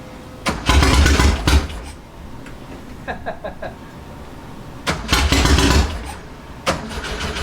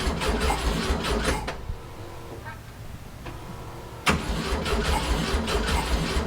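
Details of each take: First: 1967 Volkswagen Fastback flat-four after fitting a fourth ignition: several cranking bursts that catch and fire with brief revs between pauses; now starts and runs, the failed ignition was the problem. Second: 1967 VW Fastback whose ignition keeps frying: with a fresh ignition module and charged battery, even starter cranking about 150 beats a minute, a pause, then more cranking that never catches despite starting spray; crank no-start, no spark.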